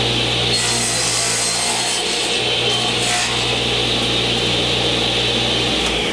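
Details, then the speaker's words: New Original Saw model 3512 radial arm saw (old DeWalt design), first cut after installation: motor hum holds steady with a bright, even rasp of blade in wood and no bogging; normal cutting under load. "Sounds good. Doesn't seem to want to bog down at all."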